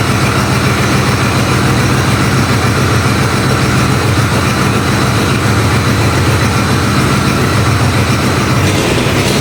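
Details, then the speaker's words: Ford Bronco II engine first start after exhaust welding, with starter fluid and a known fuel leak: loud, raspy, uneven idle with sharp ticking puffs; massive exhaust leak because the O2 sensor is not installed. "Also just realized what the massive exhaust leak was. The O2 sensor's not in, so it's running terribly and has a massive exhaust leak and that fuel leak."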